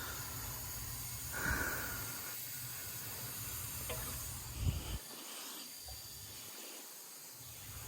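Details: Turbo Subaru WRX with no engine running and the intake pressurised through a hose: a steady airy hiss swelling and fading as the leak is hunted by ear, feel and soapy water; a boost leak that keeps losing air.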